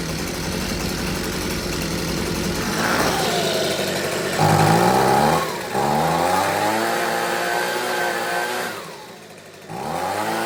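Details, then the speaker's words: Husqvarna 125B two-stroke leaf blower, sat for years with fuel, purge bulb blown, first restart after repair on fresh fuel, choke on, primed, no air filter. Fires and revs unevenly, surging and sagging as throttle opens; carburettor needs tweaking. "Well, there you go. Definitely could use a little bit of tweaking, but see if she fires right back up."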